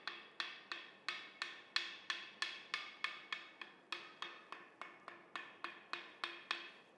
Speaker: But what does it sound like when there is a crack? So we've gone and cracked this wheel on purpose to clearly show you what a dull sound will be.